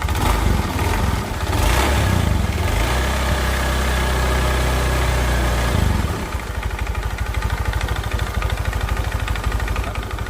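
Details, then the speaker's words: Honda Beat FI scooter after a top-end engine rebuild for rough engine noise and smoking: two light revs falling back to a steady, even idle; engine sounds normal again, with only slight noise from the oil-starved connecting rod, judged acceptable. "Oke ini suara mesinnya sudah normal lagi ya teman-teman jadi di bagian stang kuasnya saja yang bunyi sedikit tapi tidak jadi masalah oke"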